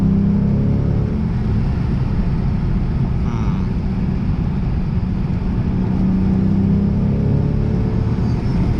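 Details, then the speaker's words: Lexus RC F on a spirited mountain drive after raising coilover height: steady, even engine drone under hard driving over road rumble, no knocks or rattles; engine sounds healthy. "Engine sounds good."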